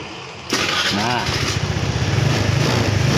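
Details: Honda Vario Techno carb scooter after repair of stuck brake-lever starter switch: brief starter whir, engine catches at once, settles into even steady idle; starts normally.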